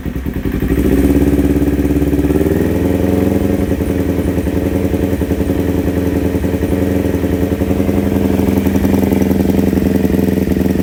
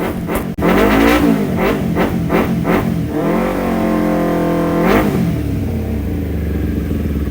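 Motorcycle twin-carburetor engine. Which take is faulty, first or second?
first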